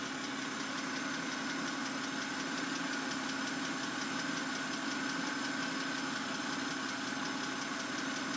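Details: 2008 BMW 328i coupe idle: quick light steady ticking near three per second; owner suspected lifters, dealer replaced them per service bulletin but sound returned; dealer now blames cylinder head.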